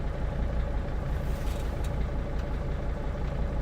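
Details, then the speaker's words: Turbo diesel van at 180,000 miles, idling: rough, loud clatter about three pulses a second with no clear knock standing out; owner worries about knocking but it sounds normal; normal idle. "Every time I hear it chugging away, I'm always worried about that because it is a turbo diesel engine and it's like a loud engine. It's kind of just this is its natural state."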